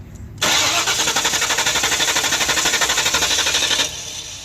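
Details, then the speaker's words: Mystery project car, broken down at a parts store; fuel pressure checked, test light shows power reaching the ignition coil: steady cranking about four beats a second, never catches; coil not firing, and a new coil made it fire right up. "But we're still we're getting power into the coil. I don't think the coil is firing."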